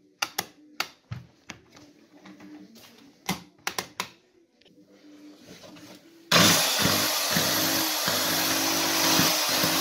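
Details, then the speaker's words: Interskol PC-16 2 kW electric chainsaw with complaints of sparking, smoke and power loss: harsh high-speed motor whine with scattered sharp pops. The armature was overheated and arcing, and the fix was to replace the armature, bearings, brushes and sprocket. "Ну сами слышали Какие прострелы наблюдаются в работе электродвигателя"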